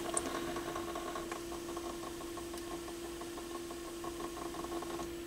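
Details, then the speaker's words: Pioneer PL-707 turntable after stylus cleaning and belt service, playing a test record: quiet, steady motor hum with faint irregular light ticking while the platter turns; motor noise, cause unknown. "so it's on I hit start yeah you can hear that that motor running a little bit"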